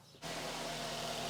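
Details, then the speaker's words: Nissan X-Trail T31 with a P0303 cylinder 3 misfire, after earlier spark plug replacement and now all ignition coils replaced; the engine catches instantly and settles into an even, steady idle with no misfire; normal idle. "Smooth as, hey. Of course we need to clear the fault codes, we'll do that next, then go for a road test, but I'm happy with those results, hey."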